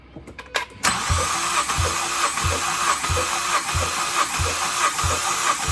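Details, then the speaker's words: 2014 Ford Escape-sourced swap context aside: Ford Focus ST cranking with all spark plugs out during compression test, pedals held down; starter whirs with even compression thumps ~1.5/s, healthy cranking; cylinders 2–4 read ~149–150 psi, cylinder one zero. "if you hold those two pedals all the way down it'll turn the motor over so you can get a good reading"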